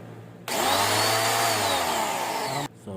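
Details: New budget high-pressure washer after a bearing repair (the bearing failed when the motor ran a long time with no water hose attached): steady high-pitched motor whir with no grinding or rumble; noise gone after repair.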